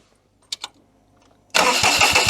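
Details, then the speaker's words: 2006 Daihatsu Charade (Cuore/Mira) L251 after an engine swap, second battery connected: two light clicks, then the starter cranks with a steady low chuffing rhythm but the engine never fires. "okay we got the starter again then where's that cover on i don't know it still doesn't sound like it wants to go again"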